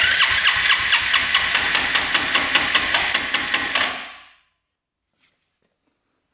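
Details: 2001 Arctic Cat 300 4x4 single cylinder cranked during compression test with carb removed: sharp even pulses about two per second, then stops; healthy compression against 160–190 spec.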